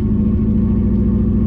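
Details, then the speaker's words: Subaru Impreza that had been sitting, cranked until it finally starts, then idles lumpy and stumbling with an uneven pulsing beat, clearly missing on a cylinder; heavy misfire, and it keeps dying with the fuel needle not moving, so low fuel is suspected. "it's alive it's alive it's got a misfire"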